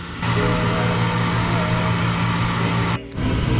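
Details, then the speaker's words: York Sunline gas furnace unit after replacing the heat exchanger, flame sensor, igniter and limit: the combustion blower hums, dips briefly, then a fuller roar as the burner lights cleanly, with smoke from oil burning off; normal ignition. "All right, we got ignition. Let's see how much smoke comes out of this thing. Oh yeah, smoky."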